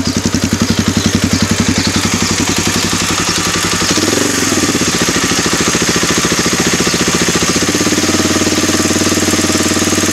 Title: DR-Z 250 K9 bad engine noise